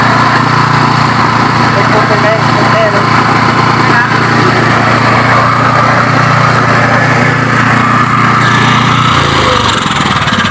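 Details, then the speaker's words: Yamaha water pump engine, parked over 20 years and previously not starting, no fuel in tank: steady, even buzz with no misses or knocks, holding speed until it dies off near the end; now runs normally. "อันนี้เครื่องติดแล้วนะครับเครื่องจอดไว้ประมาณ20กว่าปีติดแล้ว"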